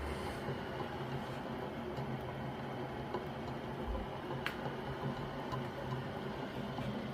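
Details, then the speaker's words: Restored circa-1898 Thomas Edison bipolar C-frame motor (battery fan motor), original bearings, rotor adjusted for optimum position; low faint hum with light soft rustle, no grinding or knocking, really nice and quiet. Normal running. "what I did was I spent the time to properly adjust the the rotor so that it's in the optimum position for smooth running and those are the original bearings still in there and it's really nice and quiet"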